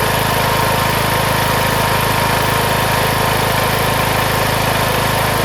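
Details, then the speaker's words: Craftsman MTD T1600 lawn tractor with 46-inch deck, first start after camshaft and automatic compression release (ACR) replacement: steady, even idle near three beats per second with no knocks or misses; engine healthy. "Smooth as can be. That's idle."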